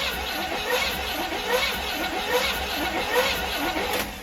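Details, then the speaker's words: 1972 Winnebago Brave 350 Chevy V8 after a massive failure, cranked with valve covers off: slow, uneven cranking chug near once a second with light valve clatter; several rockers not moving, pushrods bent or missing, camshaft possibly damaged. "we got two that are missing or they're down inside the block bent which even with a collapsed lip lifter the rod should still be around here somewhere so it's probably bent"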